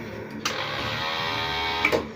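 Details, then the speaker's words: Keeway K-Blade 125 Euro motorcycle: a short steady buzz on pressing the start button, then stops and the starter never turns the engine; starter not cranking, troubleshooting begins at the push button. "Hindi siya re-redondo. Kahit yung starter, hindi nagre-redondo. Pero meron siyang tunog na ganyan oh."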